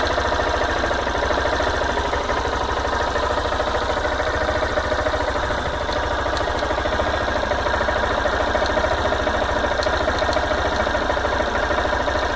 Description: Barulho diferente acontece de maneira aleatória alguns segundos depois de dá a partida no motor.